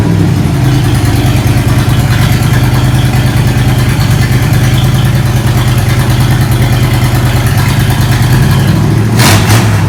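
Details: 1987 Monte Carlo SS V8, revived after 20+ years: loud, raw, steady burble idling slightly fast with no pipes fitted, open headers barking straight out, while checking oil pressure.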